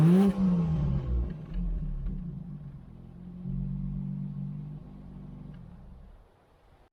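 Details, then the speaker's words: British Leyland Princess 2200 automatic after the throttle and choke cables were fixed: it starts instantly, and a clean rev climbs and falls back to a smooth, steady idle with no knocks or rattles; a healthy engine. "so with that working it's really easy to fire up and it is sounding pretty nice"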